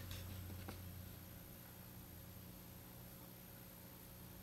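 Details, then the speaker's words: Home theater PC plugged into a separate wall socket from the audio system: idle speakers give a faint, steady low mains hum from a ground loop through the computer; ground loop hum. "when the computer is plugged into the wall plug which is separate from the rest of the audio system there's an audible hum"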